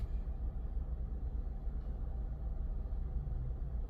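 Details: Engine idling after spark plug replacement for hesitation/misfire with no check-engine light or codes: steady even low rumble, no stumbles or skips; idles smoothly.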